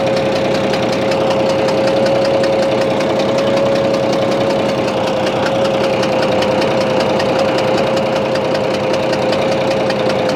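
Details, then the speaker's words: Bizon A-01 diesel at idle: uneven chuffing knock, two or three beats a second, over a steady mid tone; reacts to loosening the No. 3 high-pressure injector line, owner suspects cylinder head or third injector, unconfirmed. "привет всем ребята не хорошая штука случилось с нашим бизоном в частности своего мотором появился какой-то подозрительный шум то ли фырканье то ли непонятно что реагирует на откручивание 3 трубки высокого давления"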